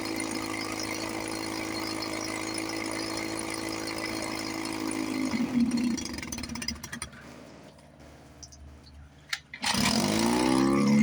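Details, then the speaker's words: 1954 Johnson 5.5HP two-stroke outboard, barn find revived after about 60 years with cylinder head, carburetor linkage, tiller and pull starter work, cover on, water pump pumping nice. Even, steady idle for about five seconds, then winds down: normal running. "Sounds sweet. run for a few minutes before I got to pump the bowl again. Water pump's pumping nice. Love it."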